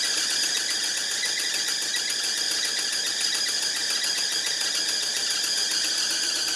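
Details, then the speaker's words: 1975 Lincoln Continental, running again after cooling system work, with a new belt: a constant piercing high squeal over the running engine from the loose alternator belt slipping, before it was tightened. "Finally stopped no, our alternator is just really loose. Alright, give me a minute. I'm going to tighten up the belt on there and we'll go again. I don't want to hear that thing squealing this whole time or smoke my new belt."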